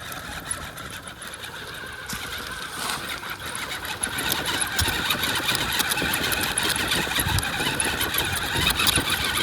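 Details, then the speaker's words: Wraith 1.9 RC crawler, 3-gear transmission, AR-60 axles, diagnostic run after damage: gritty, high-pitched grind with rhythmic chatter about four per second, rising as it drives, from the front axle; chewed ring and pinion or pinion bearing suspected, not confirmed. "I can definitely hear some chirping, grinding kind of a sound. Maybe a little skipping of a teeth or something. It definitely sounds like it's coming from up front, which is not surprising."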